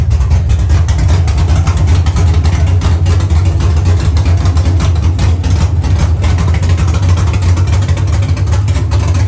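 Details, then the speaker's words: Dropped Chevy truck, cammed 5.3 V8 with Texas Speed 232/234 110 LSA cam: deep loping idle with steady lumpy chop, no knocks or misses; sounds good and healthy. "it sounds good it sounds healthy"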